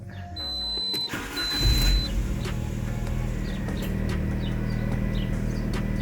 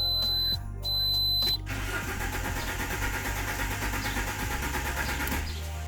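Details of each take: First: Alfa Romeo 147 1.6 Twin Spark that cut out in traffic and wouldn't start, after the crankshaft sensor fix: short crank, then it catches immediately and settles into a steady, even idle; normal start. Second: Alfa Romeo 147 1.6 Twin Spark that cuts out in traffic and won't restart, same on petrol and LPG: chimes then even starter cranking about four seconds with no firing, rev needle not moving; crankshaft position sensor suspected.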